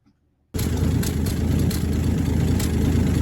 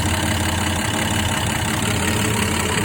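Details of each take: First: 1966 Dodge Dart GT, 225 Slant Six inline six, at idle: engine catches and settles into steady idle with a fast puffing tick on the exhaust beat; exhaust leak believed between exhaust and intake manifolds, EGR doubted, new part coming. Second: 1966 Dodge Dart GT with 225 Slant Six after fixing the exhaust leak and spark plug tube gaskets: even, steady idle with a smooth low drone, no ticking or puffing, no blowby felt; exhaust leak apparently fixed.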